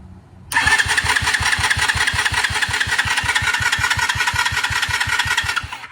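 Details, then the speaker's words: 2021 Kayo 70cc kids dirt bike (listed as 50cc), under 5 hours, new battery fitted, choke on: starter cranks steadily at about 160 pulses a minute but never catches, so no start. "So we're gonna tear off our carburetor here and see what we can find. Maybe she's plugged up, maybe she's dirty, maybe the fuel filter's just not working right. Maybe it's clogged."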